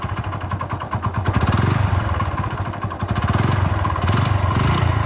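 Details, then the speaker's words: Motorcycle engine kept running after needing a rebore: heavy, loose knocking about four per second hammering through the engine note; connecting rod knock, engine failed, other damaged parts not identifiable from outside. "ఎందుకంటే already మనకు లోపల connecting rod sound అయితే చాలా విపరీతమైన sound వస్తుందన్నమాట."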